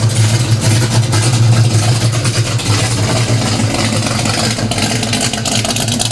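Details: 1970 Pontiac LeMans 455 V8 with violator pipes, Turbo 350 transmission, started on the rack after fresh 20W50 oil and Type F fluid: deep, steady burble at idle, even beat, no ticking or knocking; normal healthy idle.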